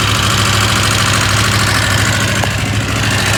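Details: KTM 890 Adventure R parallel twin at idle: a loose, uneven rattle, about two to three per second, over the low thump. The rattle gets quieter when riding; the owner asks whether it is normal and the cause is unknown.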